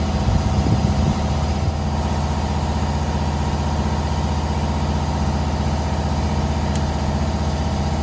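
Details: 2015 Holden/Chevrolet Captiva after replacing the open-circuit exhaust camshaft solenoid (code P0013) and clearing the code: smooth, even idle with a steady low hum and no ticks, misses or rattles; the engine idles cleanly.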